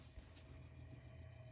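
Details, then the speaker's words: Restored Emerson 45041 antique DC longnose 56-inch ceiling fan on low speed, freshly oiled and drawing about 0.29 A, 33 W: soft, even hum with light commutator brush shush, no bearing noise; runs smoothly. "the bearing stack seems happy i don't really hear any bearing noise i just hear the shush of the commutators"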